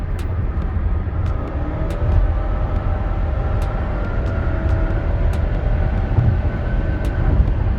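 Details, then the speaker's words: 2016 Nissan Rogue, 4-cylinder with CVT, accelerating up highway ramp: steady low drone at constant pitch under hard throttle, revs pinned, engine sounding choked and straining; typical CVT drone of an underpowered engine, not a fault. "And in my opinion, that's the problem with the CVT and the 4-cylinder. It really sounds like this engine is being choked and it's gasping for air as it accelerates onto the highway or the expressway, trying to pick up speed."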